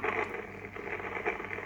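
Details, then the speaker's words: Belcom LS-102L 10m radio mid-repair on 28.490 MHz into a dummy load: hissy receiver audio with irregular crackles and pops, less noticeable on an antenna. Suspected intermittent between the VFO and the VCO/PLL stage, with a microphonic VCO. "but you know we we need to get rid of that crackling because that crackling is it's kind of like an intermittent that's happening between the vfo and the vco and pll stage"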